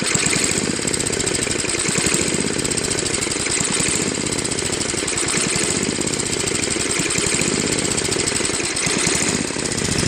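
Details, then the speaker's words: Craftsman Trac-Drive snowblower, Tecumseh Snow King 5.5 hp 195 cc, gummed carb cleaned and idle screw adjusted: fast, loud single-cylinder chatter swelling and easing every couple of seconds, still hunting at low idle; idle surging. "that's pretty good but it's still kind of searching a little at low idle"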